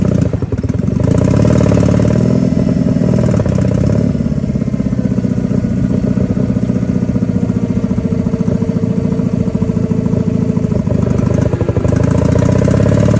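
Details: Power King 2417 economy lawn tractor after new starter, fuel filter and carburetor cleaning: steady, even low putter from the twin, no stumbles or surging, holding speed cleanly; normal running.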